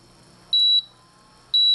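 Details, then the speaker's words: Agilent E3642A DC power supply at power-on, display unit reconnected to the main board; two short high-pitched beeps a second apart signal display failure. Traced to a failed VFD driver IC. "if I go ahead and turn on the power supply, we will hear the the two beeps indicating that the display is not working."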